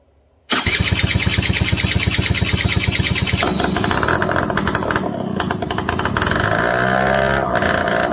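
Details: Suzuki LT80 quad single-cylinder, started with a jumper across the relay connection: starter catches quickly, settles into a steady thumping idle, slightly uneven but running on its own; carburetor fine tuning still planned, airbox off.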